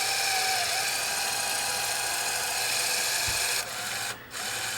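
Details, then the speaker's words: Sony SL-HF500 Betamax, 711B chassis, won't load tape: thin, high loading-motor whir runs on steadily without change while a cracked black gear underneath slips. "okay so that gear is slipping we got to pull that piece out now there's a black gear on the bottom here that's got a crack in it and it's slipping"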